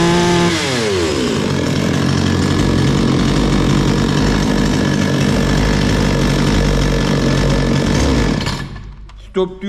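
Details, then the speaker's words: Bolat 5820 chainsaw that was bogging and stalling, after cleaning out clogged dust rather than adjusting the throttle: revs up cleanly and holds a steady high buzz without bogging, then shuts off; normal running. "sadece hafifliği çıkarttık motor normale döndü"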